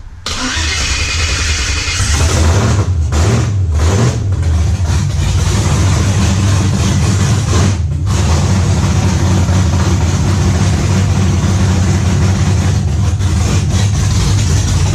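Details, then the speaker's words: 1991 Camaro Z28 with built LS 5.3L swap, Holley Sniper EFI, MSD ignition, Texas Speed cam, first start on open headers before fuel learning: fires within a second into a loud deep rumble, a few blips, then a steady even idle; healthy. "for now it sounds good i'm excited i'm pumped she's finally running"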